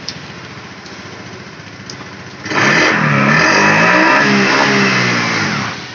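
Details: Honda Beat ESP scooter that had a dead electric starter with a normal battery, after repair, started in the rain: brief starter whirr, then the engine catches cleanly and runs steady. The electric start is now healthy.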